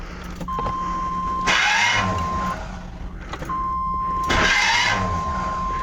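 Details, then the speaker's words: 1996 Chevy K2500 5.7 Vortec: two short cranking tries, each with harsh metallic chatter and grind as the starter fails to engage; takes about 20 cranks to start; flexplate teeth chewed, starter already replaced. "here it tries to engage the flywheel because it takes about 20 cranks to get it going"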